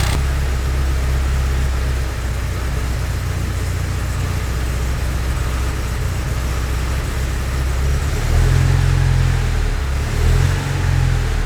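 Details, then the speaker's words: Porsche 924 with rough idle and high temperature gauge, before smoke test: lumpy uneven idle, owner hears a possible vacuum leak; smoke test found a cracked idle air control hose under the manifold. "gas so up I feel like I can actually hear a vacuum leak up here a little noise up in this [Music] area"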